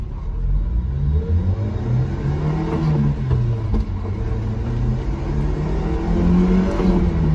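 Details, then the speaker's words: 90s Subaru Sambar KS4 carbureted truck driving after timing and carb tuning: revs climb smoothly under load through 4200–4400 rpm up to about 6000, over 40 mph, no pitch or exhaust timbre change; healthy acceleration. "the truck is just moving through those rpms like butter now there's no change in pitch there's no change in like timber sound to the uh exhaust"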